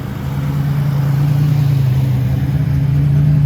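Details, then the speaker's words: 1987 Buick Turbo T (Grand National) on first drive in 12 years after fuel line and electrical repairs, warm at about 185°F: steady deep drone under light throttle, even firing with no misses, instant throttle response; one exhaust backfire noted, otherwise running fine. "But besides that backfire through the exhaust, everything seems to be running just fine. It's getting great response. An instant response at the throttle."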